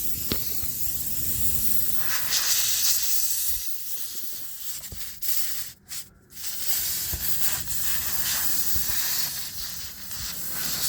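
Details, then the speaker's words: Steady sharp hiss of air leaking from a puncture in a car tire; it dips and breaks off to a weaker hiss as an adhesive plug coated with rubber cement is pushed in with the tire tool and seals the hole. "You can hear it's going away because it's plugging the hole."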